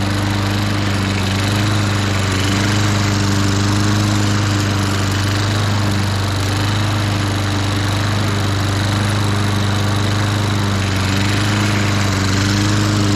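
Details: 1998 Ariens 21-inch self-propelled mower (engine VLV60) after replacing the spring to cure drive slipping. Steady, even single-cylinder drone at constant low pitch with no misses or knocks. Normal running.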